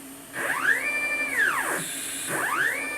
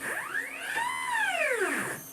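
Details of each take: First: Upgraded Y-axis stepper motor on a homemade JGRO CNC router, Mach3 velocity backed off to 38 (slips at 45): clean whine rises, holds steady, falls, with no stutter; the motor runs without missing steps. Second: Upgraded Y-axis stepper on a homemade JGRO CNC router, tuned in Mach3 with velocity raised to 65: stepper whine sweeps up and down, ragged near the top as the motor stalls and skips steps from excess velocity.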